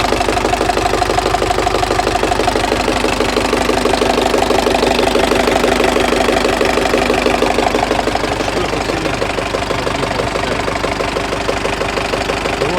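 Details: Turbodiesel with a knock that appeared and has run 1000 km since, oil pressure about 4 kg cold and 2.2–2.3 kg at 60–65°C: clear, regular knock about two per second over the idle. Cause unknown.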